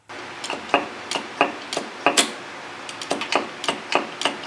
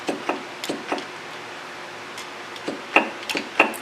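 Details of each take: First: SU carburettor piston-drop check while centring the jet, with the jet lowered to compare clicks. Crisp, even metallic clicks as the piston drops; the rear carb needed re-centring until raised and lowered sounded alike, now judged good. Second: SU carburettors during jet centring, piston-drop click test with jet raised and lowered: light sharp clicks a few per second; front carb sounds the same, rear carb click differs, so its jet is off-centre and needs re-centralizing.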